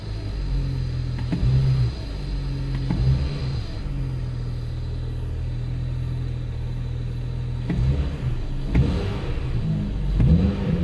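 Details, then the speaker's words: BMW N54 petrol engine after valve carbon cleaning by a home method, with the intake not fully assembled and secondary air pumps running: quick clean revs with a deep, even exhaust. Throttle response is normal, quicker and with less vibration. "Były też takie wibracje trochę, być może będą, być może nie, ale widzę, że szybciej zagadał. No i trochę mniej wibruje. O, teraz panie to gada."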